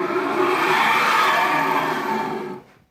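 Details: Newly arrived 6040 CNC router, stepper motors not yet fitted, axes moved by hand: harsh gritty grinding rising and fading with motion; owner suspects all axis screw bearings are gone.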